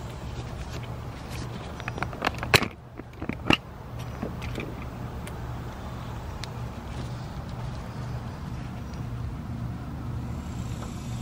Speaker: this is what you'll hear for the alternator bearings it's kind of grindy a little bit loud it's on the inside of the alternator and it's not good